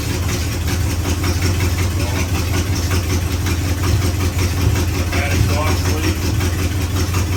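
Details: 1956 Chevrolet Bel Air 265 V8, freed from seizure, second-ever start: rough idle with sharp raspy ticking puff on every firing pulse; massive exhaust leak, header gaskets shot, one side lacks a gasket between header and cherry bomb.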